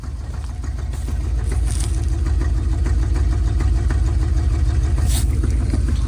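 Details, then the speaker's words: 1970 Dodge D200 truck that had been running lean, carb set screws turned out a lot: heavy, uneven idle lope with an occasional stumble, better than before. Rough idle; owner thinks the carburetor needs rebuilding. "it's definitely running better than what it was I honestly think this carburetor needs to be rebuilt and gone through"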